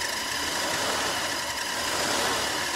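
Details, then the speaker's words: 1947 Dodge heater blower running on a newly fitted switch (original 3-speed switch's resistors burnt out): constant high hiss and rough whir from the fan bearing, which usually quiets after a minute; bearings due to be serviced. "Oops. That's that bearing again now. That'll go off hopefully in a minute."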